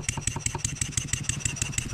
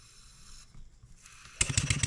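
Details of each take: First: Stuart 7A model steam engine running on air after valve eccentric timing adjustment: smoother running, but simulated load on the output shaft brings a sharp metallic knock about six times a second; cause not yet found. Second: Stuart 7A steam engine running on air after valve eccentric timing adjustment: quick, evenly spaced exhaust chuffs, much smoother and more even; knocking still appears under simulated load on the output shaft.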